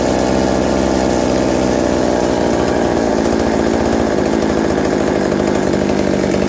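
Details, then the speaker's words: McCulloch 790 MC101 chainsaw with Walbro WB37 carburettor on a homemade adapter, bar and chain fitted: steady, even two-stroke drone, idle drops slightly with chain on; running and idling normally. "so as you see after putting the bar and chain on it the idle drops slightly but it's perfect right there the chain just bumps forward a little bit and everything"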